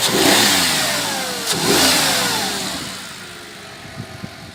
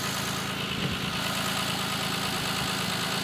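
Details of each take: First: Audi A6 C6 after the intake manifold knock was fixed with a piece of plastic bag. A clean rev rises and settles smoothly with no tapping from the manifold. Normal running. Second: Audi A6 C6 at idle: light quick tapping about three per second over steady idle, knock from the intake manifold swirl flaps.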